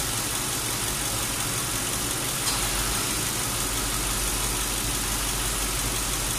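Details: Lincoln Town Car AC recharge after R-134 leaked from disuse and accumulator replaced: steady idle, AC on high, a click at about 2.5 seconds then an even hum as the compressor clutch engages; running normally.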